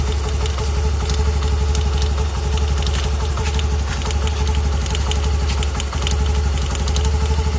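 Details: Honda Activa 125 scooter, noticed four days after purchase and persisting after three services: cold first start of the day or after long break, loose uneven tapping about seventy a minute over idle drone; knock source unconfirmed.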